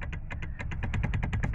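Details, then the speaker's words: Ford EcoSport with a steering noise: quick, dull clicks, about seven or eight a second, while the steering is worked. The cause is a worn bolt at the joint between the steering column shaft and its coupling, a common fault on EcoSport and Fiesta. "esse parafuso aqui e faço junção com a junto aqui e o eixo do motor tá vendo para você ver olha o barulho vocês vão conseguir captar o barulho"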